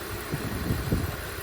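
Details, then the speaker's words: 2004 BMW E46 325i Touring, unstarted a very long time, jump-started with a weak battery: short steady, low six-cylinder idle with even pulses, no knocks or misses, no warning lights. "starts, and it sounds quite nice actually. There are no warning lights, nothing, but obviously the car has been sitting here for a long time,"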